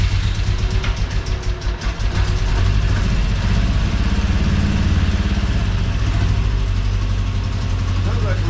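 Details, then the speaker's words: Car with a replacement engine, driven out back after the swap: uneven, stumbling idle with dropped pulses breaking the rhythm, missing pretty bad; misfire at idle, cause not yet found. "yeah it's missing missing pretty bad"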